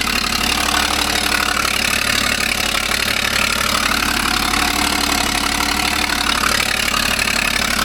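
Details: 2012 Ford Falcon FG XR6 Turbo at steady idle; fast sharp ticking puff about four times a second over the hum, an exhaust leak.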